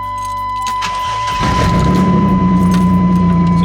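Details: 1996 Chevrolet S10 Blazer just after an alternator install with the belt tensioned and a thermostat change: after key jingle it cranks, catches quickly and settles into a steady, even idle with no clicking or rattle; normal start.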